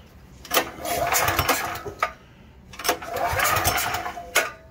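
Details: Troy-Bilt XP 10,500W generator (model 030477), Briggs & Stratton 2100 series engine, with choke on and carb off for starting fluid test: two short cranking bursts that never fire; no-start attributed to bad gas.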